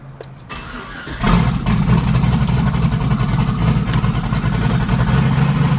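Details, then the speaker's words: Twin-turbo Silverado V8 after refueling, running rich (not tune-related), like multiple misfires: fires up into lumpy uneven idle with irregular stumble; still rich, cause not yet found. "still running pretty rich so i'm gonna have to figure it out see what it is"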